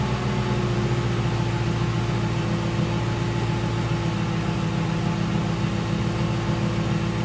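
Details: 2006 Ford Crown Victoria P-71 V8 with stock mufflers, before muffler modification, parked, heard from behind: deep, even rumble holding steady, no rattles or blowing; normal exhaust note.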